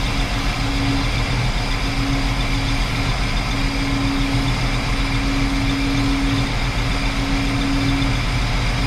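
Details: 1968 Chrysler Newport 383 big block with an Edelbrock 750 four-barrel carb on a Weiand intake, timing set about 10° BTDC. A smooth, steady V8 idle around 900 rpm with an even beat and no misfire or knock. Normal idle.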